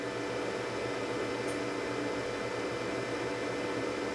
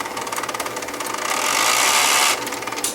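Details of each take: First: Professional Betamax video deck shipped from the UK and damaged in transit, first power-up: an even, steady fan rush over a faint constant hum, with no rattles, ticks or grinding. It powers up and runs normally. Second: Professional UK video tape unit, shipping-damaged, loaded with an L830 tape: rapid mechanical chattering and rising whirring grind as the tape threads; sounds unhealthy but threads the tape successfully.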